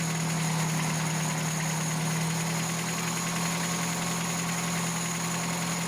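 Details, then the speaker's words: 1987 Toyota pickup 22R after carburetor rebuild and ultrasonic clean that previously would not idle: steady, smooth low-hum idle, no stumble or hunting; idle mixture screw 3.5 turns out, base idle 750 rpm, may raise slightly. "I've got my base idle set at 750 RPMs but I'm probably going to turn that up just a little bit seems too low to m"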